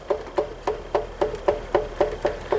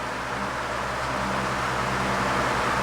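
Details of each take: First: 12-inch Ambassador (Lasko/Galaxy) oscillating table fan after cleaning and service, coasting down after switch-off: regular metallic knock about four a second as the shaft hits the back; worn thrust washer, needs replacing. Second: 12-inch Ambassador (Lasko/Galaxy) oscillating table fan after cleaning and servicing: steady even airflow whoosh over a constant motor hum, much quieter than before; thrust washers wearing, slight shaft rattle noted.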